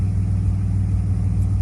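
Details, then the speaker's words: 1997 Camaro 3.8 L V6, slow to start (owner hopes new fuel filter and spark plugs will fix it), codes pending: low, heavy rumble with uneven, lumpy pulse; rough running. "idle smooth when it does start and it sounds pretty decent but it sounds like this [Music] no i don't like that"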